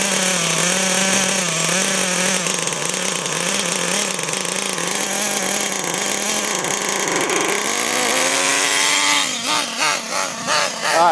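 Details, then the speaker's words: Losi LST XXL nitro truck being tuned, set very rich and recorded while driving; high buzzing engine surges and wavers with throttle, soft and blubbery, a little sloppy off the line but still performing well; rich-running nitro engine. "now my truck is heavy on the rich side and I'm trying to do this Walla record while driving which is making a little harder but you can see that even though I'm running very high on the rich side I still have great performance it's a little sloppy out of the hole"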